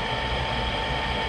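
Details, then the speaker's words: Rheem-made GE power vent water heater, new replacement vent blower assembly after old motor's bearing noise ramped up after a minute: burner lit, even steady hum with no rattles or scraping still fine past first minute; normal vent blower operation. "after the first minute it's still sounding fine"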